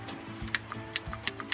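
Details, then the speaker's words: Solenoid gas valve for backyard roller coaster dragon cart, switched from a 6-volt battery: sharp, crisp clicks every quarter to third of a second over faint hum as valve opens and shuts quickly and cleanly. "what I've got here is I've got a really cool and proven system of opening and closing a valve really fast, right? Just with a real quick click, I can turn on and off."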